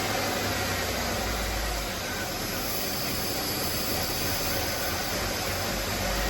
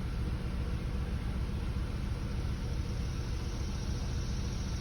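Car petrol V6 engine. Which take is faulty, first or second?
second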